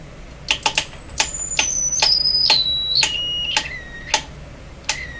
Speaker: that's 10,000 Hertz that would be 11 that's just 10 okay that's okay this is 10,000 Hertz